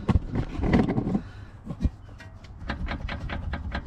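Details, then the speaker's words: BMW 525d E61 with 93,000 miles, front wheel rocked side to side by hand: dull, loose clunks from a completely worn front lower control arm ball joint, causing the knock and the wheel wobble; the arm is replaced. "So this is definitely this that's causing the knock. So, and obviously the wobble as well. So this has definitely got to be changed."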